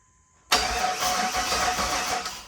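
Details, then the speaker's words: OBS Chevy GMC Sierra during Holley Terminator X Max install, starter wired temporarily through a fuse-box purple wire: quick, strong, even cranking bursts with no grinding or clicking; starter works fine. "There you go. So we got the starter working, which is good. It sounds good."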